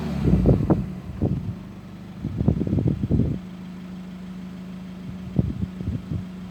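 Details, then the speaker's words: VW Golf GT 2.0 TDI, deep rough diesel clatter at idle between rev blips with no clean turbo spool, and smoking. The EGR valve was found stuck open and the turbo needed replacing. "That's it. Don't need to show you. It's smoking anyway. If anyone's got any idea on what the problem is, personally, I think it's a turbo."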